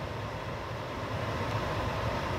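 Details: Propane furnace failed to light, shut the gas valve and locked out; blower keeps running with even rushing fan noise and no burner roar, purging the propane for safety during sail switch and limit switch troubleshooting.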